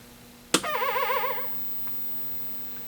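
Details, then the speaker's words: 1981 Nintendo Donkey Kong arcade PCB being repaired, powered on in a sound check; sharp click then a short warbling electronic tone — normal power-on sound, acts like Donkey Kong should. "so it's acting like donkey kong acts"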